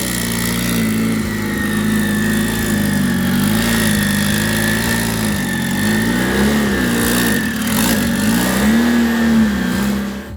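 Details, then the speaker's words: Volvo 244 GTK turbo engine on just a basic startup tune before the dyno: strong even running, revs rising and falling cleanly with clear turbo whistle; sounds healthy. "It makes me feel a big sense of confidence hearing how well this car runs, even on just a true bass tune that Andrew put on so we could fire the car up."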